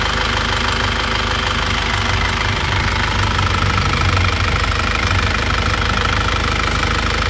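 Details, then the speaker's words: After repair of a 2001 Isuzu Panther diesel: pistons and rings replaced, liners reconditioned, engine warm at 82°. Steady idle clatter at about two beats a second, with no misses or extra knocks. No blow-by and no compression leakage; a normal, healthy idle. "tetapi acak hitung itu tetap juga tidak ada pertanda ini mesin kompresinya sudah bagus sekali tidak ada kebocoran kompresi"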